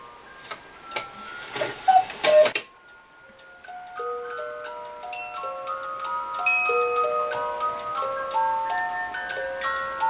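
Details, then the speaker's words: Restored Regula 25 cuckoo clock, cleaned, hammer and bellows lift arms adjusted, weights set: handling knocks, then even ticking under a clear music-box melody; clock and tune run properly. "and so it's wonderful to bring a beautiful clock like this back from the dead"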